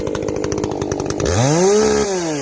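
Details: Echo CS-590 chainsaw after a carb mod with limiters removed, high and low jets richened, exhaust opened up; choppy burble at first, then a clean rising scream to a steady high pitch and easing off; not running hot, healthy.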